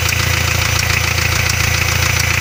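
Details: Hyundai 2.5 diesel (TDI) idling with fast even knock locked to engine speed after turbocharger failure; no knock when cold, light valve-like knock develops; pan removal found spun connecting rod bearing shells on cylinder 3.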